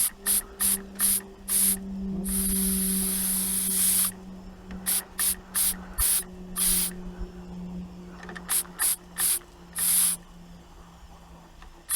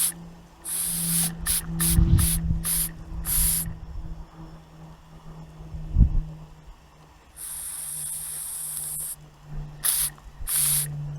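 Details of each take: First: Inherited antique model steam engine, cleaned up and run for the first time in many years, cold start with little steam pressure: uneven steam hiss bursts, two or three a second, that stall and restart. Struggling on low pressure. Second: Antique inherited model steam engine, first test in years, heated from cold water, whistle left open to signal pressure: short shrill hissing whistle bursts over low hum, then a long blast as steam pressure rises.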